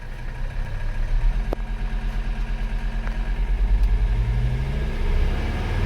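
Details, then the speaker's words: Mercedes 300CD diesel, hot, idling after a barbed fitting was fitted in a vacuum line to stop it shutting off: low, even clatter, steady regular beats, no stumbles; pressure holding, normal idle. "all right oh pressure's staying good she's still hot i haven't gone anywhere just figured i'd fire it up and see if it can make some vacuum"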